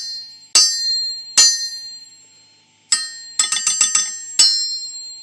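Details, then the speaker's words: Worn but uncracked forged crankshaft from a Farmall tractor struck with a hammer; about nine strikes, each a clear, high, long-sustained bell ring, unlike the dull thud of a cracked crank. "now this crank right here it's a worn crank but it doesn't have a crack now listen to when I hit it see it rings out like a bell you can really hear that sustained"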